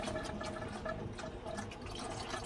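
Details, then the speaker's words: Smart car project with newly fitted water temp gauge, after previously overheating and spraying coolant at the track: quiet bubbling and gurgling of liquid in the coolant lines; owners suspect it is sucking in air somewhere. "does that mean it's sucking in air somewhere probably huh"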